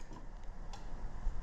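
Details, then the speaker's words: 2005 Toyota Matrix 1.8L manual, no crank no start with good battery and starter: starter relay tested on the bench gives light sharp clicks but no continuity meter beep; faulty relay, contacts not closing. "we can hear some some noise once I get it's clicking but there's no continuity there"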